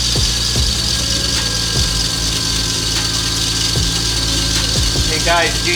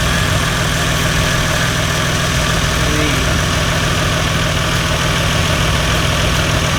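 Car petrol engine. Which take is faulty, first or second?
first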